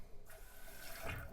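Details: 2-piece Kohler toilet intermittently sounds like it's running: soft pulsating trickle of water refilling the tank as the fill valve reopens; water likely trickling over the overflow edge into the bowl drops the float, tripping the fill valve on.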